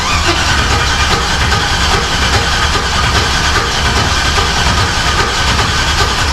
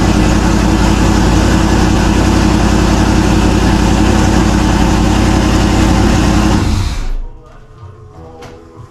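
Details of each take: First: Turbo LS Camaro first-fire attempt: starter churns the engine at an even pace but it never fires, no fuel pressure because the ignition was left switched off. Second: Turbo LS Camaro first run: loud, even V8 idle with a steady lumpy beat for about seven seconds before shutting off; fires and runs cleanly.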